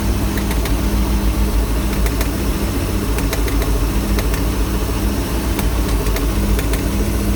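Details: MerCruiser 260 5.7L V8 marine engine at idle: uneven sharp ticks about three a second over a lumpy idle, heard only at idle and gone when rpm rises; source not yet found.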